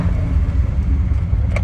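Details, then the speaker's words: Triumph TR6 started with choke after an oil pump replacement and rocker shaft check; steady deep even rumble with no knocks or ticks and good oil pressure on the gauge; normal running. "Quite a success there. We've got good oil pressure on the gauge."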